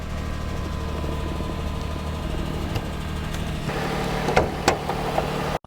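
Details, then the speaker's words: 2004 Lexus RX 330, 3.3-litre V6, first start after wholesale purchase: steady idle with a light, fairly quick clicking over it, cause not identified; ticking at idle. "You hear that clicking? That's broken."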